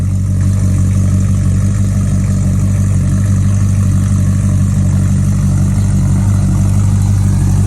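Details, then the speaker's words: 70s Mercury Cougar with a 302-block small-block V8, possibly a 347, brought in for noisy lifters and backfires. Started right away and gives a steady, lopey idle with no lifter noise and about 60 psi oil pressure: normal idle. "away so far I can't hear any left noise we have a about 60 lb of oil pressure which is plenty"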